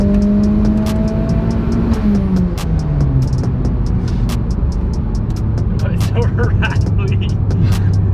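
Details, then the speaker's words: Tuned turbo car on test pulls: engine pulls up and down through the revs with sharp, quick rattling ticks over it under boost, sounding like feedback; rattle under acceleration, source unknown. "I'm just curious about the rattles. Do you hear them all? Yeah. It sounds like a feedbacker."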